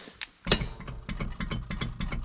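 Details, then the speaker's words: VW Bora wagon jacked up, engine running in gear with the wheel spinning, back on stock suspension and wheels. A rhythmic clicking thump about six to seven per second, also felt in the brake pedal and shifter. The hub wobbles from an under-tightened axle nut. "So I'm pretty sure, almost positive, I didn't tighten down the axle nut enough. I cranked it down, but as you can see, the whole hub's still moving, which is why I felt it directly on the brake pedal."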